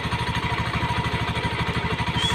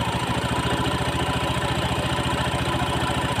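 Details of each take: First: Honda Beat FI scooter idling rough; steady fast metallic rattle like broken glass or plates over single-cylinder idle, suspected from CVT area, possibly bearing or clutch plates, before disassembly. CVT clutch rattle at idle. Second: Honda Beat FI scooter idling after reassembly: a steady, even idle with a smooth regular pulse and no CVT rattle; the fault had been only the worn clutch plate ring.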